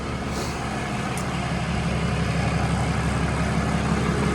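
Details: 2020 Ram 2500 Cummins diesel idling after the oil and fuel filter change, running to check for leaks. An even clatter at steady idle with the low rumble dominating and no misses or odd knocks; idling normally.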